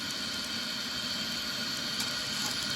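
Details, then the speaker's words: Home-made 18 oz injector on a 5-inch gauge Manning Wardle locomotive at about 80 lb pressure with the water trimmed back: constant harsh steam hiss with a watery rush and overflow dribble. It is trying to lift; the owner suspects an excessive steam cone to combining cone gap. "fill with the water it seems like it wants to lift bit of overflow dribble there as the pressure comes down"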